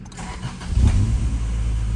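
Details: 1990 Honda CRX with refreshed B18C5 (valve job, new seals, S2000 fuel pump and injectors), first start after fuel pump priming: brief crank, catches right away and settles into a smooth, even idle; clean, healthy start.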